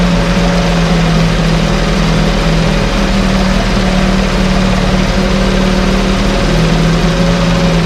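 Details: 1968 Evinrude Fastwin outboard, bought and only set in a test tank with no repairs, out of gear with no load: smooth, even idle with a steady low drone and no misses or rattles; no cold-start cough, Sea Foam in the fuel cleaning it out. Normal idle.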